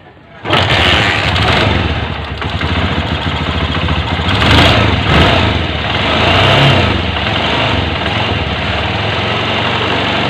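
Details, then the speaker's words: Honda TMX Alpha 125 single-cylinder motorcycle after engine rebuild with parts replaced: starts, settles into a steady, smooth idle and takes a few clean throttle blips; earlier it was noisy and whined in first gear. "Yun oh yan Mga Pre ayan na ung andar at pinong-pino na ano"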